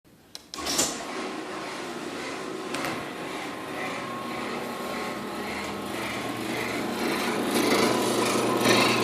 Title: Chamberlain Whisper Drive Annoying Squealing Noise